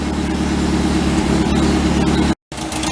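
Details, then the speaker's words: 1953 MG TD barn find, parked since 1979, first runs: idle set around 800 rpm with a slightly uneven, lumpy beat; the two carburettors and air-fuel mixture still need tweaking, and temperature reads a little hot. Rough idle. "so I got it so the idle down around 800 I'm not quite sure if that's right or not but anyway it's around 800 you can hear it still needs to be kind of you know tweak the two of them"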